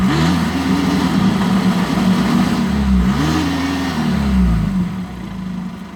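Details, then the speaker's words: 2.0 TDI VW Golf GT diesel revving in short blips and smoking; owner first suspected the turbo, later found the EGR valve stuck open and the turbo needing replacement, followed by DPF issues after the new turbo. "It's smoking anyway. If anyone's got any idea on what the problem is, personally, I think it's a turbo."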